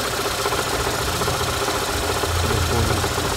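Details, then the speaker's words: Daewoo Lanos/Sens engine idling with an uneven low knock; water pump was first suspected, but the crankshaft pulley nut had come loose and the pulley was knocking. "У нас явнока двигатель М была проблемау на коленвалу де ремень де була вкручена гайка Вика така та що держиш штів такий для неі получається Він був розкручений цей шків і він скупав"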